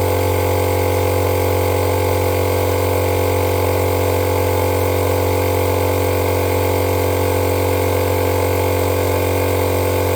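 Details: Electric fuel pump on an FCR 37-carb racing bike switched on during fuel-system cleaning, blowing methanol out of the line; gauge reads check-valve cracking pressure about 3.5 PSI. Steady even hum with fast regular pulse, no stutter or strain: normal pump operation.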